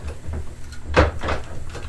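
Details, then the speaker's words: Early-style antique printing press at Illiana Antique Power Association history day, run slowly while printing: even mechanical run with one heavy clunk as the platen closes and light rattles after; sounds healthy. "i'll actually put one of these uh pieces of paper in there and engage it and you'll hear it go clunk there that printed it right there"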